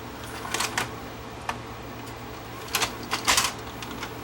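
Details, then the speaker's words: Panasonic PV-V4522 VCR reassembled after repair: quick clicks and light clatter over a soft hum as another tape draws in and seats. Normal loading; the troublesome tape loads only if pushed to the right. "and if I load one of the other tapes it loads fine make sure it plays still"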